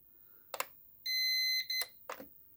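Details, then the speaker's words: Power Walker Basic STL 1000 (600 W) home UPS, held button switched on with no load; two clicks, then a single clean high beep of about half a second and more clicks, confirming power-on. "and then you get a blue light come on which says it's now providing power."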